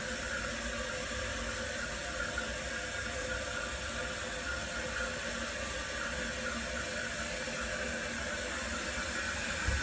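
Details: Toilet cistern after repair and reconnecting the water supply, refilling before a flush test for noise: steady rushing water with an even hiss and no squeal, knock or hammering; it refills normally.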